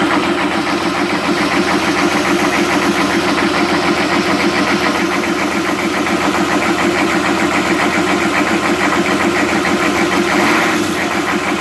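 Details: 1998 Chevy 6.5 turbo diesel idling extremely roughly, its clatter pulsing unevenly about three to four beats a second.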